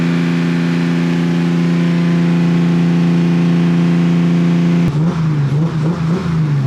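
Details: BMW E36 with freshly built engine, broken in, fresh oil: steady, smooth drone with clean blips up and down, no lifter tick or knock, no smoke; normal revving.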